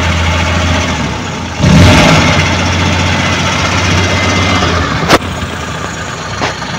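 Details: Suzuki Multicab F6A carbureted petrol engine that would not start, now running after carburetor overhaul and cleaning, float valve and distributor adjustment: even idle, a clean quick rev, then settles back without stumbling, running healthy.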